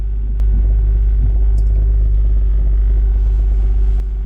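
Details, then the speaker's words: 2005 Acura TL idling in reverse: heavy low rumble with a loose, uneven rattle, absent in drive; diagnosed as a failed passenger-side engine mount. "Put it in reverse. Yeah, I hear it rattling."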